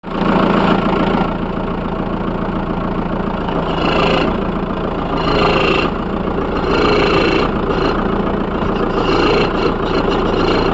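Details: VW Polo 1.9 TDI (131 hp, BLT) on a cold-start idle, with a rough whirring chirp in bursts. It fades after 1-2 minutes and is absent when hot. The owner suspected the steering rack or pump, but the mechanic traced it to the alternator belt and pulley.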